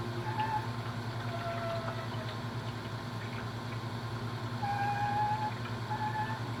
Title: [Help Needed] Why is my Opal Ice Maker making this noise?